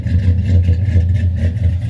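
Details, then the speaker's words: Cammed Silverado LS V8 after top-end upgrade (FAST intake, ported heads, 1000cc injectors, long-tube headers), first runs: lumpy idle with regular dips, one dead cylinder, fuel smell; owner suspects an injector not firing. "got an injector that's not firing at all trying to figure that out right now"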